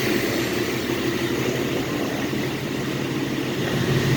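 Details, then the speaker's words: Dodge wagon V8 running again after its seized motor was unlocked and the carb bolted on: steady, even idle with a low, regular beat, no knocks, misses or blue exhaust smoke; engine sounds healthy, normal idle. "I don't know. It seems to run just fine."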